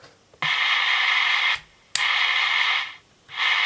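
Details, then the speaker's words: Cobra 21 LTD CB radio: hiss cuts in and out sharply as the squelch is turned, clean silence between bursts; squelch works normally, though the display is missing segments, possibly from a dirty channel select switch. "Squelch seems to work."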